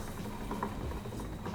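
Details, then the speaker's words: Fat bike rear wheel with tubeless tire, spun: soft irregular pattering rolling along with the tire, not the hub; likely low or no sealant left, with a dried sealant clump tumbling inside. "something's running alongside my tire what's going on in there"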